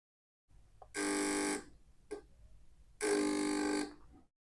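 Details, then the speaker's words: Relay buzzes in harsh bursts, trying to switch on and off, because the MOSFET gate is left floating and a hand touching it acts as an antenna picking up interference; relay cannot be turned off properly. "you can see that it generates a buzzing sound. That sound is the relay trying to activate or deactivate. This is because we're acting as an antenna and can generate interference."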